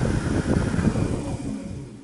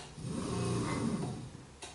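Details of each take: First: Minn Kota 70 lb bow-mount trolling motor lower unit after armature and brush assembly replacement, done for low thrust; smooth even hum with no grinding, rattle or catching as it winds down; healthy rebuilt motor. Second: Minn Kota 70 lb bow-mount trolling motor run with prop off, losing thrust: rough grinding growl swelling as it spins up, armature scraping and wobbling, before armature and brush assembly replacement.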